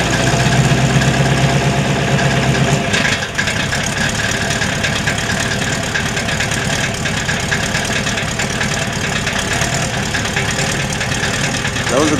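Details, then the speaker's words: Bronco with 418ci 527HP 351W-based stroker, TrickFlow 205 heads, 2.5" dual exhaust without crossover, DynoMax VT valved mufflers: lumpy V8 idle with uneven clacking rattle; exhaust scavenging flaps muffler valves at idle, gone above about 1500 RPM; needs X- or H-pipe. "are the valves inside the mufflers rattling I've been told by the text at dyno Max that the problem is I do not have an h-pipe or an x-pipe in front of the mufflers and so the Scavenging is pulling the valves back and having them clacked and make a racket at idle to get above about 1500 RPM you don't have this problem"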